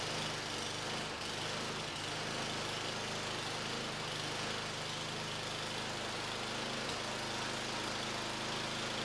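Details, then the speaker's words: John Deere 1032D snowblower, 10 HP Tecumseh single-cylinder, pull-started, surges with choke off: runs unevenly with stumbles and dips after carburetor cleaning; varnished carburetor starving it, owner plans to replace the carburetor. "all right so it wasn't a complete failure um I think I'm going to replace the carburetor"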